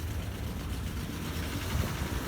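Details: 1952 Ford 8N tractor, unrun for years: low uneven putter at idle with lumpy beat as cylinder 4 drops out; compression check showed none, plug slightly oily, dead cylinder from stuck exhaust valve.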